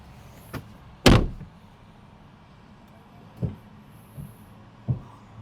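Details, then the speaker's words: VinFast VF3 after replacing the original wiper arm: only soft thumps as the wiper turns at each end of its sweep, no squeak, screech or rattle; wiper working normally. "You can hear it like this. No more noise, no more squeaking or screeching. Very smooth."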